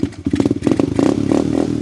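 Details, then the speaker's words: Tao Tao Coleman 125 ATV single-cylinder, still cold, with newly fitted small exhaust silencer; pops evenly, blips up and settles back cleanly, RPM brought up slightly; normal healthy exhaust note. "So, that sounds pretty good. I like that little that little silencer on there."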